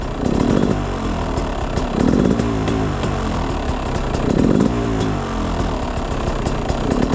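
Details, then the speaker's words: Beta 300 two-stroke with SC2 Smart Carb on a cold start, about 50°F engine, 5°C ambient, not yet warmed up. Ragged idle; each throttle blip hangs and stumbles before revving, then dies out; off-idle bog from lean mixture. "you can hear it and then it dies out and one of the biggest things I've noticed is I have a I do have a bog right from from the bottom"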